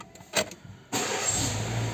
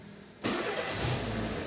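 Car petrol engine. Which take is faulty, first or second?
second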